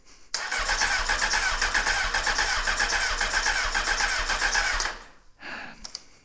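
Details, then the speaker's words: 1998 Honda CBR600F3, parked a year, with the cleaned carbs just reinstalled and choke on: steady starter cranking about four beats a second for nearly five seconds without firing. Owner suspects fuel in the cylinders. Cranks but won't start. "I bet I have gas down in the cylinders this is the way it goes"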